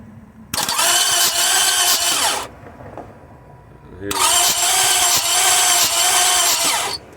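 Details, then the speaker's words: 2004 Lexus RX 330, towed in with a no-start, water pump leaking: two spells of fast, even, high-pitched, overly smooth starter cranking with no compression chuffs, and it won't catch. Spark, injector pulse and fuel pressure are good; no compression, suspected damaged head gasket or warped head. "it did sound like a timing bolt issue because when you crank the engine sounds like there is no compression the way it sounds"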